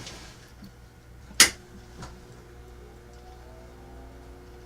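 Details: Philco 47-1230 (1947) tube radio-phonograph record changer motor, which hummed but would not turn in the changer, now tested running freely with nothing connected: faint, steady hum of the small motor spinning on its own, with one sharp handling click.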